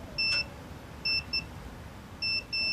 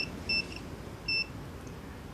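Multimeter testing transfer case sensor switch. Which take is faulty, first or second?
second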